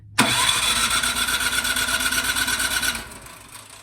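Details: Craftsman snowblower with quiet-technology muffler, sat all summer, on choke and primed, electric start: spins briskly about three seconds but never fires; spark confirmed, so the carburetor with old fuel is the cause.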